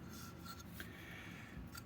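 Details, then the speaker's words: Hot tub circulation pump (Aquaflow-type) with leaking seal, motor disassembled; shaft turned by hand gives a dry, gritty rasp, stiff and uneven, doesn't really spin: rough motor bearing. "Oh yeah, it's rough. Doesn't really spin. So if we do this, doesn't really spin."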